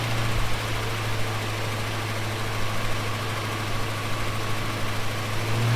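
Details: Holden HK, first run: steady, even idle with a firm low drone and no knocks or misfires; runs smoothly, though a welsh plug leaks on one side.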